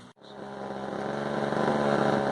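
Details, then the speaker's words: Frontier Mark 1 chainsaw (Husqvarna 35 variant), likely long unused, after a few minutes running with nothing repaired: steady, even two-stroke burble that settles and firms up; healthy clean idle that keeps improving. "I'm sure you can hear it idling away there. She's been idling for a good couple minutes and it's only starting to sound better and better."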